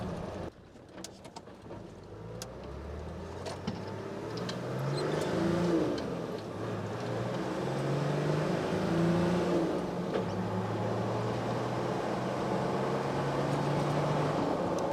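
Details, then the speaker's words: Nissan Patrol diesel on a hot-day test drive after the new 11mm boost-compensated injector pump was fitted and adjusted: pulls cleanly through the gears, EGTs stable and peaking about 550, with decent power; acceleration is normal. "pretty good accelerated pretty well the big test will be up the hill"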